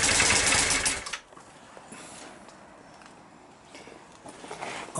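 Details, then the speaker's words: Yamaha Virago XV535 cranking: about a second of fast, harsh cranking, then it stops dead to near silence. The fuses are fine, and the battery, charged the night before, reads zero volts, so it has died. "cranking this bike over and the um it instantly stopped so i thought there'd be a fuse that had gone so i checked all the fuses and that was all right i only charged this battery up last night so i put the voltmeter tester on the positive and negative terminals zero volts so it looks like the battery has just died"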